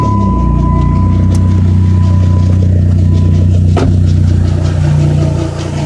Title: PT Cruiser strange noise from harmonic balancer